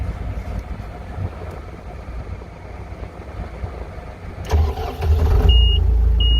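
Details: Skid steer diesel started on an icy, cold day with low fuel; starter cranks briefly, then the engine catches and settles into a steady, even rumble: normal cold start.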